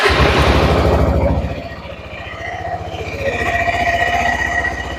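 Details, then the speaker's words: Suzuki Burgman 400 (2007-2017) after belt replacement and CVT maintenance: single-cylinder beat dips and climbs back with a light metallic ting as clutch pads and springs contact the bell housing; normal, quieter CVT drivetrain run. "Cool. It's doing exactly what it should be doing. That tinging is very normal because what's happening is when the clutch makes contact with the bell house, it gives a big ting."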